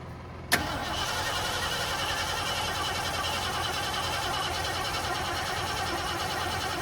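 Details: 1973 Ford Gran Torino Sport, 351 Cleveland V8, sat over 35 years, HEI wire now connected: click then steady cranking for several seconds, never fires; no start from incorrect ignition timing with spark plug wires out of position.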